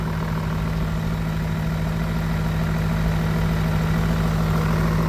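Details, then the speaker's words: BMW E39 M5 V8, 262,000 miles, sat about 10 years: deep, steady, even idle with low hum and no ticking or knocking; engine very quiet for mileage, normal idle. "is very quiet to the standard of these cars, especially being almost 300,000 miles."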